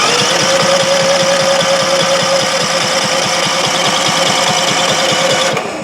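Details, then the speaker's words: Predator 5000 inverter generator with battery ignition that fell off a pickup tailgate and now won't start, showing a 366 code: even starter whir with compression pulses about four a second, but it never fires and times out; crank no start. "I mean, it is trying to start. The starter motor's spinning. The engine's cranking."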